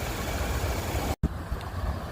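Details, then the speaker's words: 2011 Chevrolet Impala after a no-start fixed by cleaning a corroded battery connection and jump-starting. It runs good again: a low, steady, even idle rumble with no knocks, misses or surging. "Running good again. That's another one."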